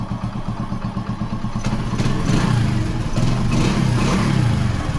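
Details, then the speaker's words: Passion Pro single-cylinder bike after a new timing chain was fitted, sprocket not replaced: even, steady beat with a couple of throttle blips and no chain rattle or ticking; normal running, no timing chain noise. "பாத்தீங்களா friends ஒரு சின்ன sound இருக்காது. Timing chain சவுண்டே இருக்காது."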